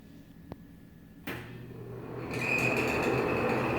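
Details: Older Nutone exhaust fan at a restaurant, dirty: the fan spools up and a steady high squeal settles in over the airflow, unbroken as it runs; squeaking fan.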